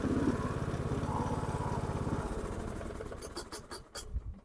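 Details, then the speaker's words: Dixon 2042 riding mower, 20 hp engine, 42 in cut, after an oil change: steady, even single-cylinder chug, then a clean wind-down to a stop with no knocks or misses, normal running. "well there you go runs like new again"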